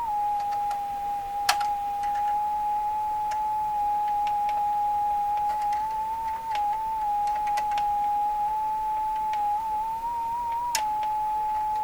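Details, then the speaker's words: Westinghouse 535 tube radio: a steady, piercing high whistle drifting slightly in pitch over faint crackles, an oscillation localized to one section of the set. It possibly comes from alignment that compensated for excess wiring since removed, or from the unshielded glass 6Q7 tube; not confirmed. "Sounds pretty normal, as terrible as that is. That's got to prove the oscillations occurring up in here."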